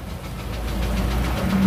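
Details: Isuzu Elf 4HL1 diesel with ECU, after fixing crank-but-no-start fault: short stretch of steady low idle with ordinary clatter, no misses or stumbles; running fine.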